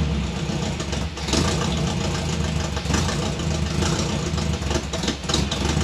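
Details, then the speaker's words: 1957 Chevy convertible hotrod with a 400 V8 running poorly before a tune-up: loud idle with an uneven, stumbling beat and skipped pulses, picking up under rpm. Misfire; owner suspects bad spark plug wires after getting shocked by them. "Okay, so it's a runner. It's got a mist there, and it seems to pick up under RPM and stuff, so it's got a couple of bad spark plug wires."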